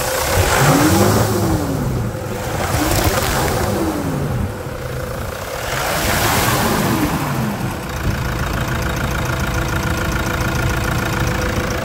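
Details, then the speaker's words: Toyota Hilux 3.0 diesel (KD block) at about 300,000 km, after a full service with new filters: a few throttle blips rise and fall, then the engine settles into a steady, even diesel idle, sounding healthy. "muita melodia né esses motor 3.0 tem uma torrada de cemitério"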